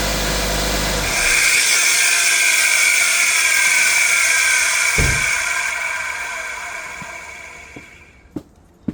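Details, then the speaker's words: 2002–06 Nissan Altima 2.5, microphone near the alternator, just after shutdown: a loud high whine keeps going for several seconds and fades after the alternator stops spinning; failing alternator internals, to be replaced. "You heard that shit? That's the alternator making all that ruckus."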